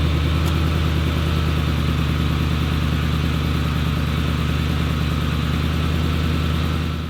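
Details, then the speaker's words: 2005 Ford F150 Triton V8 after replacing the rotted, crusty starter wiring harness: starts and settles into a steady, even low idle with no misses or knocks; running smoothly. "Well, that is all, folks. She starts."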